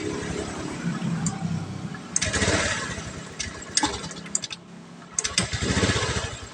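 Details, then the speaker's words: Honda Scoopy FI with MIL blinking 8 times, throttle position sensor fault: engine catches and sputters, then stumbles and dies each time the throttle is opened, as if fuel is not rising. "Di sini motornya ada berebet-bereb ya kita dengarkan saja. Dan ketika kita tarik gas itu malah mati ya mati-matian nih motornya tuh mati."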